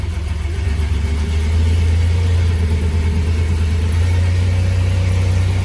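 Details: Ford Ranger with a newly installed engine, first-ever start, oil pressure gauge temporarily fitted: catches and settles into a steady, deep idle with an even low drone and no knock or misfire; sounds healthy.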